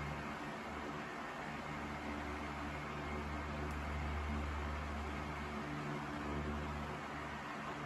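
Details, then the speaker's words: Sears 12-inch oscillating table fan 453.80120 after fresh oil, running smoothly on high speed with steady airy rush and even hum; slight head shake and vibration come and go, subtle. "But the fan is pretty happy, I think. Much happier than it was. It's got some fresh oil in it. Plenty powerful. Seems to run pretty good."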